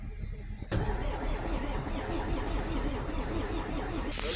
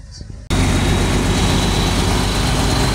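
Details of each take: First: MAN diesel engine not started for about two years, battery found at 5 V and addressed: starter cranks with steady compression pulses but it never fires, no smoke; suspected electrical fault. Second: MAN diesel that would not start for almost two years, started after the battery (found at 5 V) was seen to and the solenoid valve was replaced: it catches abruptly and settles into a deep, steady rumble without knocks or misses.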